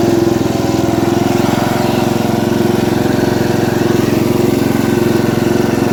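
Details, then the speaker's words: Ford LT80 riding mower, single-cylinder, recorded on a test drive before loading it. The oil was full of gas, probably from the carburetor misbehaving, and it won't shut off with the key. Steady running with an uneven, rough note; the source of the noise is not yet identified. "I'm gonna have to find out what that sound is too but let me throw in a video here real quick uh when I test drove it before we loaded it"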